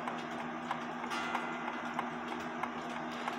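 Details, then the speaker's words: Seth Thomas clock, verge and crutch foot opened up after running too tight and stopping: crisp, even tick-tock at about 94 beats a minute with steady spacing; escapement running healthy and in beat. "there's space in between to allow the inertia to go from one side to the other side to con so it continues ticking and the only thing i did when i paused the video was open up that foot now listen to it"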